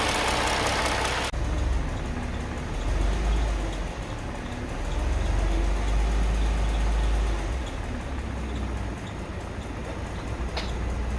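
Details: Mercedes M272 petrol V6 idling and revving gently between 700 and 1500 rpm. A light, quick tapping and a faint wavering squeak are heard in that range; the cause is unknown.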